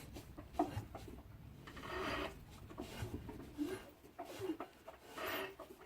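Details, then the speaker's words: Rebuilt 26 PS Trabant engine after about 2,000 km, turned slowly by hand. Quiet, irregular dry scrapes and rubs with each turn, with no clear source; a squeak is from the alternator. The owner suspects a link to knocks at idle. "so ich möchte hier mal das motorgeräusch versuchen zu zeigen am regenerierten proband motor 26 ps nach circa 2.000 kilometern laufleistung mal schauen ob man es hört bei umdrehungen mit der hand"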